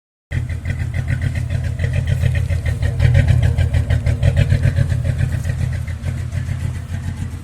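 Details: Jeep XJ Cherokee 4.0 after hosing the engine bay: deep engine note breaking up with irregular stumbles and pops at rev and idle; water in distributor, towel-dried and back to normal.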